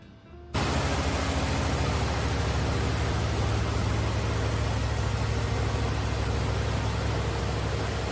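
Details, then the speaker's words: 1979 Cadillac Eldorado Biarritz, 350 cubic inch port fuel-injected V8, after repairs: it catches and settles straight into an even, steady idle with no misses or knocks, running smoothly. "you are hearing there my friends is a sweet sound of a 1979 Cadillac El Dorado with a 350 cubic in port fuel injected V8 and it is humming and running like an absolute well oiled machine"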